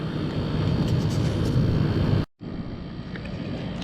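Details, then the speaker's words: Camper roof air conditioner heard on the roof after replacing the fan motor and condenser: compressor running with a steady, even low drone of compressor and fan, no rattles or knocks, nicely balanced. Normal after repair. "All right. Sounds pretty good. I hear the compressor on. Everything's nice and balanced."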